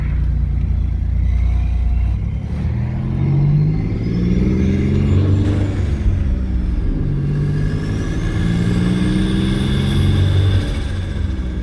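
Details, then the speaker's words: Twin-turbo V6 Mustang driven on one turbo with the other blocked off and Gorilla-taped: engine pulls with a rising turbo whine and a fluttering whoosh, i.e. compressor surge. "Woo, man, you hear that compressor surge? Oh man. Does sound cool,"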